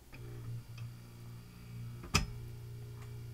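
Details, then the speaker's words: Form 1 3D printer, owned about a week: steady low motor hum, then one sharp loud click mid-cycle as tray tilts and build platform drops to the side, like something catching; cause unknown, prints still fine. "so that click and was followed by the sudden drop of the build platform to the side makes me wonder if there is some sort of thing catching"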